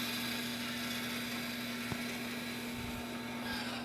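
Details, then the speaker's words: 2022 Toyota Highlander AWD rear electronic parking brake being re-locked via MUCAR scan tool after rear pad replacement in service mode; steady low actuator motor hum with one soft click, locking normally. "Now locking the brakes. Waiting for it to get done. And now it's done."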